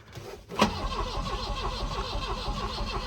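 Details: 1984 Volvo 244 GL pulled from the woods, starting fluid sprayed into a vacuum port: starter cranks in an even churning beat about five pulses a second but it never fires; spark from the key doubted, not confirmed.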